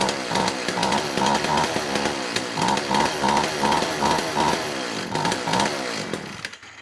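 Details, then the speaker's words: McCulloch Eager Beaver 2.0 cu in two-stroke chainsaw, on the bench after carburetor clean, first run (was a no-start): uneven burbling run that stumbles rather than singing crisply; sounds rich, so the low-speed jet is to be turned leaner. "sounds rich so i'm going to dial the low speed jet back a little bit"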